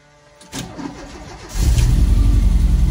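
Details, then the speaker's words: 1987 VW Vanagon Syncro Westfalia, parked since 2001, after engine work adding about 15 hp, turned by hand first: short crank, catches cleanly, smooth steady idle with no clanks. Normal engine start. "fires up idle's good no horrible [Music] sounds"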